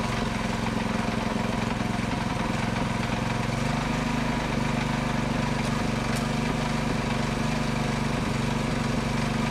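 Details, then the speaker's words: Predator 224cc Max Performance engine with milled, ported HEMI head and stainless valves, first run after rebuild, choke on: steady, even single-cylinder firing with a slight speed step midway, no knocks; runs healthy. "all right that is so good predator max performance max performance 224 cc with a hemi head what do you think guys is that not amazing or what"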